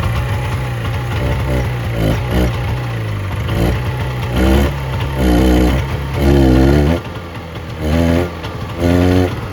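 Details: 1970 Subaru Sambar pickup off the road for 40 years, after loosening the distributor for more ignition advance: the engine idles a bit lumpy, then picks up cleanly in short blips and settles back; runs on its own and sounds healthy.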